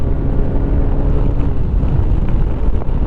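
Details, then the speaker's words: Lifan KPX 250 dual-sport motorcycle at full throttle around 70, after foam added in snorkel tube to cure lean cold-start stumble; deep even drone pulling hard under wind roar, no hesitation. Healthy acceleration. "Don't have any hesitations at all in it. It's running good and smooth."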